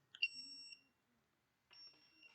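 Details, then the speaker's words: Arduino buzzer (Elegoo kit, tutorial 1) running uploaded code: clean high tone for 500 ms, off for 1 s, then on again; buzzer working as programmed. "you can hear it, hopefully, it's going high, waiting 500 seconds, 500 milliseconds, then going low for 1 second, and then going back high."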